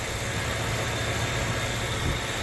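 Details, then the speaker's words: 2011 Ford Crown Victoria LX V8, 105,000 miles, aftermarket P71 Mitsubishi higher-amperage alternator: low, even rumble with steady beat and no misses, ticks or knocks. No codes or ignition/fuel issues. Normal idle on all cylinders. "ever since I've owned her she's always had uh ignition on all eight cylinders I haven't had any ignition issues or any fuel issues or anything like that since I've owned it"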